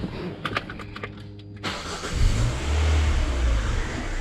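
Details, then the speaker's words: Citroën C4 with the 2.0 16-valve engine cranks and catches, then a thin steady whistle seems to come from the engine at idle; the accessory belt was removed to rule it out, and the whistle is attributed to a failed PCV valve. "Esse aí é o barulhinho do Citroën C4 Palace, do Citroën hatch, do Peugeot 2.0 16 válvulas. Esse barulho aí, um assobio que parece que vem do motor."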